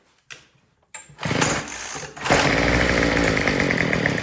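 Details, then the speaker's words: Troy-Bilt TB225 tiller small two-stroke that would not start (rotten fuel line, old carburetor gaskets and diaphragm): after leaning out the Pac-Man carb adjustment a little more, revs raggedly and hunts with a thin unsteady buzz; lean fuel starvation. "h, it just sounds like it's still running out of gas."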